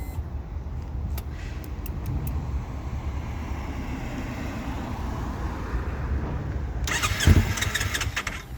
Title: Ninja 300 wont start